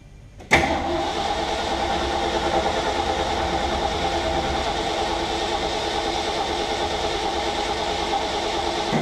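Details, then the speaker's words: Ford F750 haul truck, stock engine, start attempt with possibly bad old gas and jammed choke linkage: starter cranks steadily at an even beat for nearly nine seconds and never catches; the engine really wasn't getting gas, fuel starvation no-start. "And the second thing that we kind of realized is it really wasn't getting gas."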